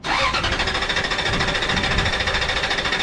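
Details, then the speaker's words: Toyota Tundra with fuel and electrical faults (mass air flow, fuel pump circuit, P1200 codes; EFI 2 fuse short): quick even cranking, stumbling without catching; gauge reads no fuel pressure and no fuel reaching the rail, so it cranks but won't start. "nything it's not reading any pressure why is that start it up again stop turn the key all the way off start it up again"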